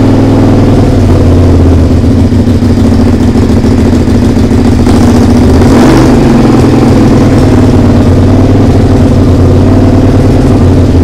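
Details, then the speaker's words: SV twin under restoration, just started after carb rebuild, TPS setting, regulator change and fresh fuel: an uneven, stumbling idle with a loud raspy exhaust chuff. It runs poorly, and the owner suspects an exhaust leak. "alors ça démarre par contre ça tourne pas bien du tout ça tourne pas bien du tout et j'ai vachement de bruit au niveau de l'échappement là donc bon va falloir qu'on regarde ça"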